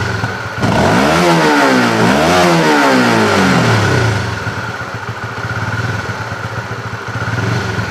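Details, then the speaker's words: Honda CB fuel-injected motorcycle, rechecked while checking the throttle position sensor: engine rises and falls cleanly through three quick blips, no stumble, then settles to a steady idle; throttle response now normal. "hidupkan sini dulu Dika Oke Apakah saya tarik seperti tadi mau merebet Ohh lolos"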